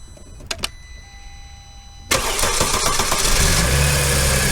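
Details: 2008 Mercedes CLK350 with M272 engine, fuel rail pressure reading zero with no priming: a few quiet clicks, then a long starter drone cranking for seconds without catching; long crank from fuel pressure bleeding down, suspected failed in-tank regulator or check valve.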